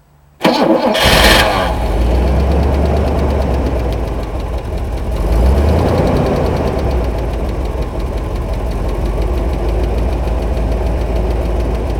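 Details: Buick, not revved high: engine cranks, catches and settles into a rough idle with an uneven knocking mixed in; knocking, cause unknown.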